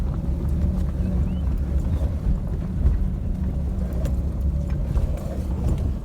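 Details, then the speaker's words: Maruti Suzuki Alto on a rough dirt road after suspension repair with rack installed: steady low road rumble, only faint light rattles from door panels, no clunks or knocks; suspension now quiet. "तो देख सकते हैं गाड़ी में कोई भी आवाज नहीं है सिर्फ एक किचन आवाज कर रहा है और छोटे मोटे जो इसके डोर पैनल्स होते हैं उसमें से सिर्फ थोड़ी थोड़ी आवाज आ रही है बाकी सस्पेंशन वाइज कुछ भी इसमें नॉइस नहीं है"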